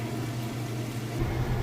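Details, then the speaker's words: Whirlpool top-load washer with a heavy jeans and towel load, final spin cycle at top speed: steady low hum, even whir rising as drum speeds up, no knocks or scraping; smooth, healthy spin. "but right now you can see that it's spinning super fast nice smooth operation it sounds great"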